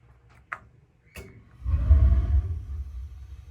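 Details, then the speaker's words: AO Smith water heater after pilot assembly replacement (pilot wouldn't stay lit, thermocouple): pilot lit, valve switched to on and set at B, then a couple of faint clicks and a soft whoosh into a steady roar; the main burner lights cleanly. "I usually like to set it at B. B is usually a pretty good hot for everybody, and we hear it burning. If you get in there, you can see now we've got the burner going."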